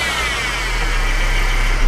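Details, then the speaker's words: 2013 Mercedes C250 (W204) engine running: steady high whine from top of engine over low rumble, louder with revs, from worn idler pulley bearing on serpentine belt drive. "okay you're going to hear it it will sound like really annoying your sounding coming from the top end here guys it almost sounds like a something is bad inside the engine"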